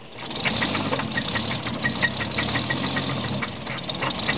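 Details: Rebuilt 7M-GTE engine bought without machine shop receipts. After the start, sharp regular metallic knocks ride over the idle from the bottom end: rod knock, likely a worn rod bearing.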